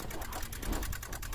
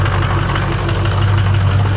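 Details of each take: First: Cheap Ford Super Duty diesel at key-on, about 40°F outside: fast, even clicking of roughly nine per second; glow plugs don't seem to be working, and the clicking source is not yet found. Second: Ford Super Duty 6.0 Power Stroke diesel V8, cold start after reconnecting a popped-out FICM plug. It fires right up to a deep, even idle with no stumbles, hitting on all eight cylinders.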